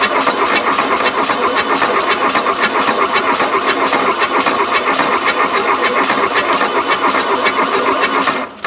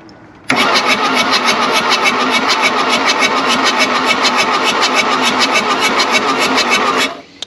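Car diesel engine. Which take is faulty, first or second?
first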